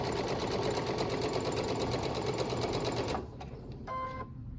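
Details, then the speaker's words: Brother NQ3550W sewing machine, cleaned after a needle broke, sewing a short run with reinforcement stitching: quick even stitching clatter for about three seconds, then a clean stop with a short beep; normal operation, automatic thread cut did not trigger. "So, let's see. We're going to go down one more time here. So, it's doing that reinforcement."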